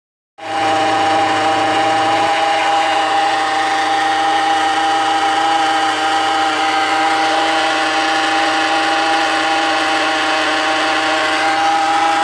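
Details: Hover H3 (Нз): steady, even hum with a high whining note unchanged at idle; owner asks if it is the power steering pump, unconfirmed.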